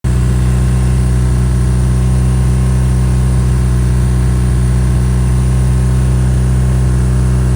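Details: BMW R NineT on its second rough idle in a week, with revs stuck at 4k until switched off and on: the twin thrums at a steady raised pitch with a slightly lumpy pulse instead of settling.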